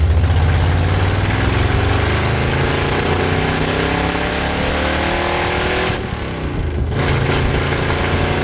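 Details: 1966 Chevy C10 rat rod V8 with rebuilt carb on test drive: pulls under load, note dips and falters around six seconds then recovers; weak fuel pump lets carb bowls empty despite pressure at idle and cruise.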